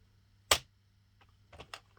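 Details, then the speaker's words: Sentro or Addi circle knitting machine during the first rows after cast-on: one sharp snap then two softer clicks, the yarn tension breaking through the hook, normal; a much louder noise would signal a problem. "that snap is the sound of the tension on the yarn breaking through it okay"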